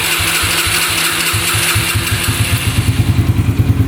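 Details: 2011 Yamaha Raptor 125 with choke off: firing pulses start steady, then turn lumpy and falter until it stalls; owner suspects fuel starvation, and the tank vent has been ruled out.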